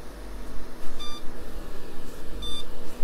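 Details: 80386 computer with 640K recognised during Windows 98 install attempt, memory sticks possibly in the wrong SIMM sockets: two short high beeps about 1.5 seconds apart over a low room hum; error beeps, cause unconfirmed.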